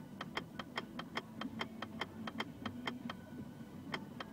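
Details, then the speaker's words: Mazda 3 automatic transmission, in park with the brake pressed: light, sharp clicks about two and a half times a second, occurring only in park and not in drive; park-lock detent clicking. "щелчки именно в режиме паркинг в режиме drive такого не происходит"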